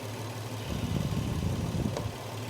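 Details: VW Passat R36 first start after restoration, with the dog bone mount fitted, no engine light and timing chain seemingly okay; quiet, steady low idle with a brief uneven patch midway, then an even hum: normal idle.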